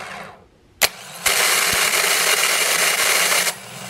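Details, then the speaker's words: 2010 Toyota Corolla with original Denso starter, cold start with outside temperature in the teens °F, new fully charged battery jumper-wired to the starter: harsh, high-pitched grinding for about two seconds while cranking, stops once warm; ongoing for three years. "okay I'm going to show you the sound this starter makes new battery fully charged have it wired directly to the starter using a jumper cable for ground and one little switch"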